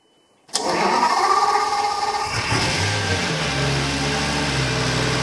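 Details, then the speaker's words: Burnt-out Lamborghini Gallardo LP520 after a connector fix, injector leak repair and new battery with booster: it starts, then settles into an uneven, lumpy idle. Throttle body suspected, may need calibration. "We've started the car several times now and it runs slightly better each time."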